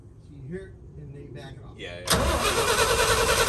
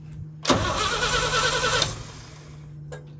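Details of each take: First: 1966 International Harvester 1100A BG 241 pickup, stored 24 years, new points and battery: cranks, catches and runs with fast even rumble for a few seconds then drops back; engine starts and runs but won't idle yet, fuel system next. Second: 1966 International Harvester 1100A pickup, BG 241 engine, entombed 24 years, new battery: starter churns steadily about a second and a half, never fires; no spark, points at fault and later replaced; crank no start.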